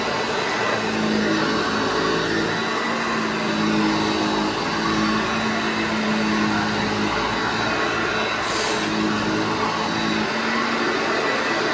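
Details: Restored vintage Hoover Junior 1334 upright vacuum, demonstrated after full restoration and reassembly: steady, even motor drone with constant pitch, no knocks, scrapes or wobble; motor sounds healthy.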